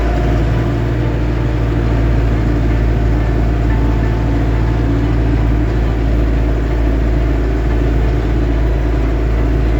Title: lovol m504 dźwięki ze skrzyni, jazda powyżej 25kmh. from the gearbox, what's making noise ?